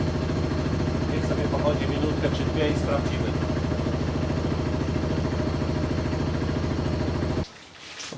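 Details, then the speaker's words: QJMOTOR SRT 125 DX motorcycle after its first oil change at 500 km, with Shell Advance 4T Ultra 10W-40, idling a minute or two to check for leaks. Steady, even low thumping, no ticks or knocks, then shut off; healthy single at normal idle. "Được rồi, tôi sẽ khởi động máy một phút, để nó chạy . Một hoặc hai phút. Chúng ta sẽ xem có rò rỉ gì không và mọi thứ có ổn không."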